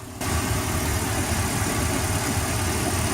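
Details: Boat engine after a fix for hard starting and low RPM (stuck at 4000 of an expected 5000): fuel restriction cleared. The engine catches and settles into a steady, even low rumble, idling cleanly.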